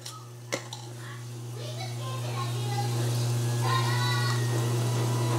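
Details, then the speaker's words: Dishwasher after repair of a no-spray fault with a replacement part, quick wash cycle: steady low hum swells as water rushes in and splashes; fill and wash sound normal. "okay we're gonna wait just a few minutes here make sure we hear the water splashing around but i definitely hear the water kicking on"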